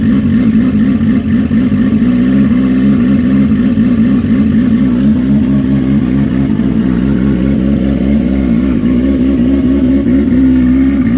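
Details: Freshly built, barely broken-in bike race engine, run on methanol with starter map, no fan set up: steady, slightly wavering low drone with even firing beat, no knocks or rattles; normal warm-up run.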